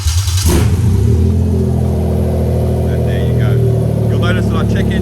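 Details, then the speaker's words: Toyota Chaser GX100 with a swapped 1JZ-GTE VVT-i on a new harness, started by key with slight coolant temperature already showing. A brief crank catches cleanly into a smooth, even idle. Check engine and oil lights went out, so the start is normal. "our check engine light and oil light has now gone out. That is absolutely spot on."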